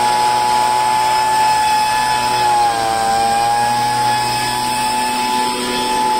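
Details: Poulan handheld two-stroke leaf blower after fuel line replacement and choke-cycling: high steady buzz with only a brief dip, no sputter or surging, running smoothly.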